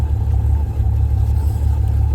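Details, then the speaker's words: 1979 Plymouth Volare wagon after 4 years sitting, with swapped carburetor, plug wires, coil and alternator; deep uneven lumpy rumble, no clean steady idle, leaking, Freon smell. Rough running, cause unclear. "Might take it a minute. A van usually takes about 15 minutes before it does anything. But this thing's really rough."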